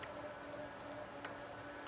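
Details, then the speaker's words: Ameritron ALS-1300 solid-state HF amp with Gigavac GH3 vacuum relay mod (~6 ms switching), full power out, mic near relays, K3 in semi break-in at 41 wpm; faint quick crisp clicks over quiet hum, relays switching normally. "and I'm not on qsk I don't know if you can hear the can you hear the initial relays come up that's that's semi breing at 41 words a"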